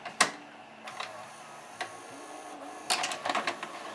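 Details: 1992 Admiral (Sharp-made) mono VHS VCR after cleaning and de-glazing loading belts and pulleys and repairing capstan motor pulley: a few sharp clicks and short motor whirr as the mechanism cycles and door opens, no grinding or stalling; normal eject.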